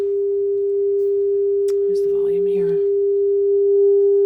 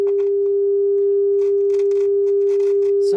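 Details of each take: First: Luxman R-1030 stereo receiver playing a test tone through the auxiliary input; pure steady tone with no hum or crackle, clean amplifier output. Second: Luxman R-1030 stereo with a test tone through the auxiliary input: irregular crackling static bursts as the potentiometer is turned; dirty, scratchy pot needing cleaning.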